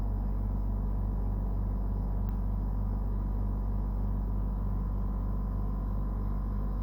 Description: This is the noise at start up and running of a brand new Dometic Freshjet 3200. The compressor and the unit is very noisy and far from would be noted as normal operation.